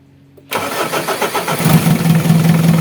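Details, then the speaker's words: Mitsubishi Adventure diesel after repair of an air leak at the fuel pump that caused hard starting and misfiring: fires on the first turn and settles into an even, steady idle. "One click lang yung start. Back to normal na naman tayo."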